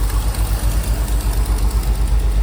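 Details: 1969 Chevy C30 one-ton V8 after head gasket replacement, run briefly without coolant and transmission removed: deep, even idle with a steady low pulse and no knocking or tapping; earlier noise traced to transmission. Normal idle.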